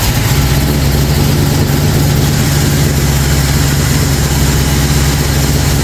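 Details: Newly built Ford 445 FE V8 in a 1962 Ford Galaxie, on 30-weight synthetic break-in oil, first fire-up: deep, steady rumble at slightly fast idle, no knocks or ticks; normal idle.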